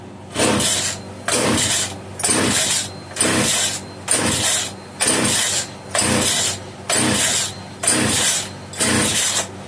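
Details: Italian-made Castor 330 Antivib (rebranded Alpina) chainsaw, choke off, trigger hold on: about ten pull-start bursts, one a second, each catching with harsh popping but dying at once; owner suspects rock-hard carburetor diaphragm starving fuel.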